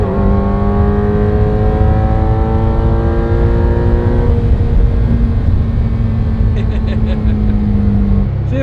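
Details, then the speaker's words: Ferrari 348 after new O2 sensors and new/refinished exhaust sensor bungs, fixing high surging idle; revs fall cleanly from higher rpm and settle to a steady 1,000 rpm idle with no surging. "all right we got the idol problem solved so now once he comes down off of a higher Rev settles right back down to 1,000 rpms no surging all set"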